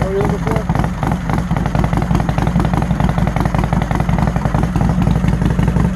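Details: V-twin motorcycle in neutral: low, lumpy V-twin beat holding an even idle with no misses, knocks or rattles; normal idle.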